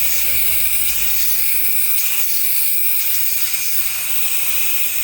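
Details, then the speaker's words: 2018 Audi A8L with the engine off: a loud, steady rush of air as stored air suspension pressure vents from a disconnected air line (the black one) while replacing the compressor and valve block; the car lowers. "The black one had a lot more. That's a lot. Wow. I can feel the car coming down."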